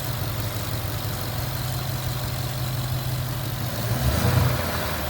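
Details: Ford Mustang GT V8 after bearing replacement for a knock: steady, even idle that picks up smoothly with a brief rev toward about 1500 rpm; no knocking or ticking, engine healthy, coolant leaking from cracked radiator top.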